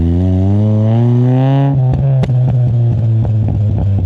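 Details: 1999 Nissan Pulsar SSS N15, stock SR20DE with pod filter and aftermarket extractors, GoPro mounted at the rear exhaust while driving: revs climb smoothly, then sharp irregular pops and cracks on lift-off; exhaust leak from cracked extractors.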